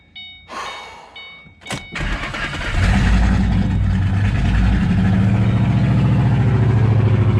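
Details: 2008 Ford Mustang GT V8 after new fuel injectors. It cranks and settles into an uneven, lumpy idle with a regular stumble: misfire ultimately traced to a cracked cold air intake/PCV tube sucking in air.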